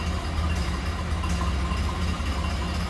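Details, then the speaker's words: 1929 Ford Model A Roadster four-cylinder, started indoors warm without choke, in neutral, heard from the rear at set throttle: low steady even idle thump, no knocks or misses; normal healthy idle. "Love the classic sound of these Model A's."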